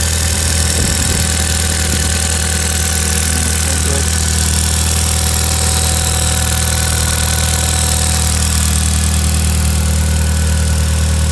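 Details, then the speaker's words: Ford Escort Van with 1.8T 20v engine on a freezing day, first start after fitting new injector/inlet cups and refitting throttle body and inlet: catches and settles into a smooth, steady low hum, no misses, ticks or knocks; runs fine, no leaks. "But yeah, all back in there, and just start it up, make sure it all runs alright. All good. No leaks."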